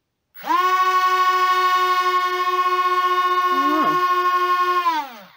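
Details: C-17 Globemaster III RC plane motors, compared with another plane fitted with a new computer board: spin up to a high steady whine, hold an even pitch, wind down cleanly; propellers never balanced.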